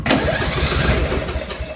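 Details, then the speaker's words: Free roadside riding mower turned over on a newly fitted battery: engine spins over quickly and evenly with little resistance, no labouring on compression strokes; owner suspects low compression, unconfirmed. "a don't seem like it got much compression as easy as turning over"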